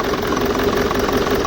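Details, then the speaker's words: BMW E65 4.4-litre V8 diesel (242 kW), two EDC16C31 ECUs out of sync, limp mode with limited rail pressure, EGR fault and injector 7 activation fault: uneven clocking/knocking idle like half the cylinders missing; injectors suspected but unconfirmed. "as you can hear the sound is clocking knocking we talked that probably some of the injectors can be gone but we're not sure about that"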